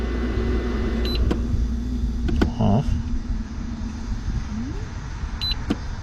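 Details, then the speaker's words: Tesstudio Juniper hidden compressor cooler built into a Tesla Model Y trunk, just switched on after calibration: a low steady hum with a soft fan rush and light clicks. The blue ring shows the compressor is running normally. "And the blue ring also means that the compressor is running. And you know, you can hear the fan going at the same time."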